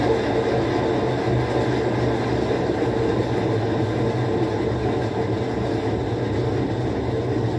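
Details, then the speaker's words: Whirlpool 17 kg top-load washer that fills then stops washing, run in automatic test mode: an actuator shift noise, then a steady, even spin drone and low hum with no knocking, scraping or wobble. The spin cycle is normal. "ahí escuchamos un ruido y es lo que está haciendo el cambio es una pieza que se llama actuador que cambia el movimiento de la agitadora latina y como pueden ver ahí está exprimiendo"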